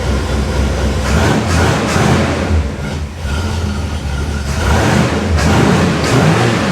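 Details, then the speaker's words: 1968 Pontiac Tempest V8 starting with carburetor float bowls emptied after cleaning: rough, uneven running with sharp pops and a stumble; carburetor spits back and blows its gasket, cause unclear, then runs better. "I'm not sure why it spit like that, and it blew my gasket."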